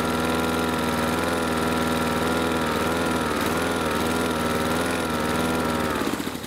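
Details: Husqvarna R 53SV self-propelled lawn mower after Sea Foam Motor Treatment added to fuel for surging suspected from blocked carburettor jets: steady, even single-cylinder note with no hunting or surging, then winds down; fixed without carburettor cleaning.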